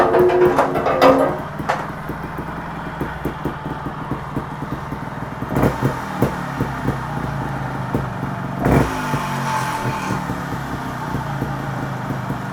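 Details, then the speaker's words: TRS 300 RR two-stroke trials bike on the bench after developing a knock: revving with a loose metallic clatter over the exhaust that busies with revs; sump bolt fell out and is vibrating, not flywheel as first suspected. "oh ha I just realized what it is the bolt right it sounds like the bolt for sump has fell out again and that's what that noise is it's vibrating and there's me thinking it's coming from inside fly wheel"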